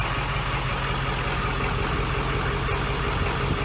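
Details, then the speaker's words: 7.3 turbo diesel in an old bus with a 50-gallon tank, after a gallon of injector-cleaner fuel stabilizer was added: even, steady idle clatter with no misses or knocks. Normal diesel idle, running really nice. "Yeah, the old bus sounds like it's running really nice. That's a 7.3 diesel, turbo diesel."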